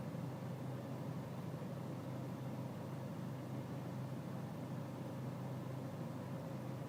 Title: BMW E46 320cd 2004 auto FL rough idle